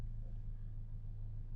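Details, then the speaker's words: Part-exchanged used car with full service history at idle: low, soft, even hum with no ticks or knocks, a very quiet healthy idle. A front vibration is felt at 60 mph. "If we start her up, I have to say this is one of the quietest engines I've heard on anything I've had for an age."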